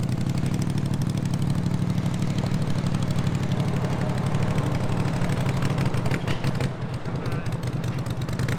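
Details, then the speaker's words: Twin-cylinder racing mower with rebuilt carbs: steady low drone with uneven stumbling beat; owners about 95% sure weak coil spark under load leaves it rich and flooding; correct coils to be sourced. "i think we narrowed it down to a spark issue this sparks enough to like run an idle and kind of rev it up and everything but when you put it in gear and starts running under load it doesn't have enough spark to burn all the fuel"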